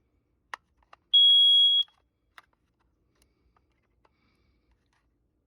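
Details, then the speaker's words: Kara carbon monoxide detector after installing AA batteries: single clean high-pitched beep under a second with faint clicks; normal power-up, working properly. "And that sound here is always good sound because that means it's working properly."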